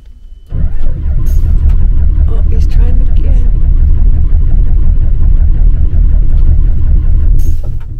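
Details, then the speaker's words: Diesel bus at a station in Brasov, Romania, that won't start: about seven seconds of long, heavy, uneven starter churning without firing; weak cranking, and the battery is suspected to be dying. "'s not impressed the battery is dying the driver is now gone for help"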